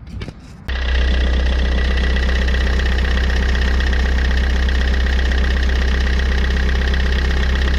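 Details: Fiat 500 engine idling with the alternator out of the loop: fires and holds a smooth, steady idle with no scraping or rubbing, showing the noise came from the alternator.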